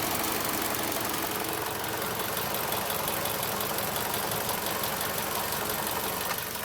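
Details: Idling turbo engine with a faint high turbo whine and a fast, uneven rattling tick, like rotating parts striking inside the turbo; dealer says it is normal, owner worried, cause unconfirmed.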